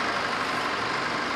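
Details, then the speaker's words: 2012 Chevrolet Z71 2.5, towed in with a no-start, after repair, recorded from outside: short snatch of steady, even idle with no knocks, misses or hunting; normal smooth idle. "นี่ก็ไม่มีเสียงเพจนะใดๆไม่มีเสียงเค้กไม่มีเสียงอะไรปกติขึ้นมาครับอันนี้นิ่มเลยนะนิ่งเลยคันนี้"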